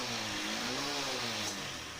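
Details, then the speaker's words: Honda Shine BS6 single-cylinder bike after half-engine (head and block) rebuild for smoke, low compression and jerking: revved lightly, smooth even exhaust note, no knocks or misfires; normal running. "ठीक है कोई problem नहीं है sound वगर सारा चीज सही है किसी भी तरह का कोई दिक्कत नहीं है"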